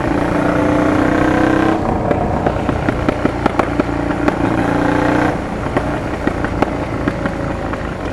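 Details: Honda Transalp PD06 with MIG exhaust: after a blip the revs fall slowly and sharp irregular pops crackle from the exhaust on the overrun. Owner suspects the defective rubber intake boots are cracked and need replacing.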